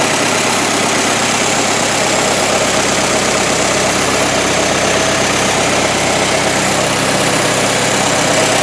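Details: 1923 Ford Model T depot hack just after manifold replacement, warming up: steady, even chug with no knocks or misses at constant level; idles fine.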